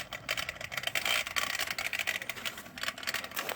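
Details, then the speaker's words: Easy Pool pool pump filter running: fast irregular light clicking and rattling with little motor hum and no water flowing; sounds like the impeller is flopping loose inside, suspected. "So it doesn't work. It just rattles. I'll let you listen to it. That's all it does. Sounds like the impellers just flopping around in there. Anyway, you can see no water running through."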